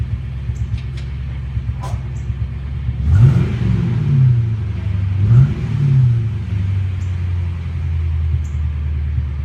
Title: 1998 Mustang GT misfiring